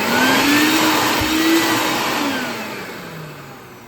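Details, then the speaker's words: Shop vac after cleaning and fitting a new wet/dry filter, hose in the inlet: smooth, even rushing motor whine with no rattle or scrape, easing down in pitch as it spins down. Running normally. "And there you have it. It seems like it's working good, and it's all ready to go for the next time I need it."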